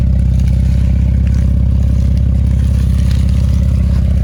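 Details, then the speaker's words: Dodge Durango with a freshly swapped Durango GT engine (old motor blew two years ago), at first startup. A steady, even low rumble with a regular pulse and no knocks or ticks, normal idle. "Now I'm gonna give that our first startup. Well, I really already started it up, you know that, because you see it move, but we're gonna give y'all that first startup, let y'all hear it real quick, and just let you see we back in motion."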